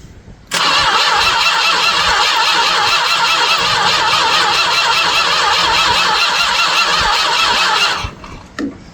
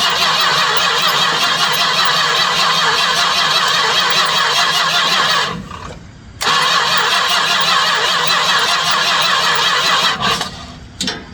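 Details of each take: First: 1967 Chrysler Newport, sat for years in a barn, turned over by remote starter before any spark check: seven seconds of steady, even cranking with a firm regular beat, not spinning easily; turns over normally with decent compression. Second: 1967 Chrysler Newport that sat for years, cranked with a booster pack and a little fuel poured into the carb: long, steady cranking, a pause, then more, never firing. No fuel shows in the clear filter, so the pump isn't pulling fuel.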